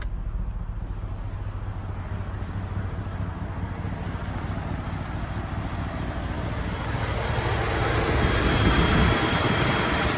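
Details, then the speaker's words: 2001 Chevrolet Tahoe with electric fan conversion (no tune, manual temp sensor, relay wired to ignition), engine idling at operating temperature, low speed checked: steady whoosh builds as the fans kick on and cycle on and off; normal operation. "So you can see they kicked on right there. And they're cycling on and off, which is good."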